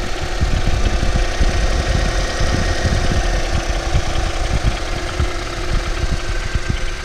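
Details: Ford Focus 3 facelift 1.5 EcoBoost 150 hp, bought new, 18,000 km, not chipped, always 98-octane fuel, oil changed every 5,000 km: irregular low internal knocks through a rough idle, cause not yet determined.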